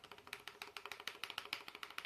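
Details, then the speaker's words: Mottu rental motorcycle: fast light plastic tapping from the ignition switch knocking while riding; the rubber inner-tube cushion under it is worn and breaking, replacement with common tube rubber fixes it. "A minha ignição tá batendo. Ela tá assim, ó. Esse barulho aqui, ó."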